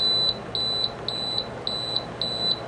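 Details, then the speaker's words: Frigidaire FRA065AT7 window AC, control panel open before quieting the beeper: five short, shrill beeps in under three seconds, one at power-on and one per button press; the panel beeper working normally, just very loud. "There's the beep. Yeah, so you could hear it there at the start, and then every time you click up or down."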